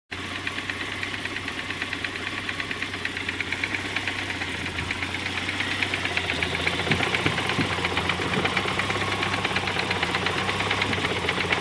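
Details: 1991 Saab 900 Aero Classic petrol engine at idle with a steady, fairly quick knock running through it; cause unknown.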